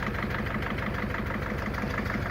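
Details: 2001 Mercedes Sprinter W903 diesel van, first run after standing since early 2019: steady diesel idle with a regular puffing chuff about six times a second; bit smoky, injectors chuffing from leaking injector seals.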